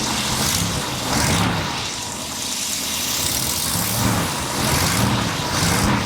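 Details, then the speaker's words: Grandfather's 1966 Ford Thunderbird V8, revived after years of neglect, throttle not yet hooked up: started almost instantly, steady even low rumble with gentle lope, no knocks or misses; smooth normal idle, owner credits the carburetor. "And she just started right up, and look how smooth it's running. This is incredible."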